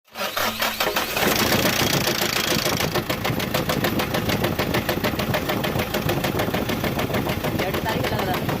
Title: DIESEL ENGINE NOISE PROBLEM KNOCKING PROBLEM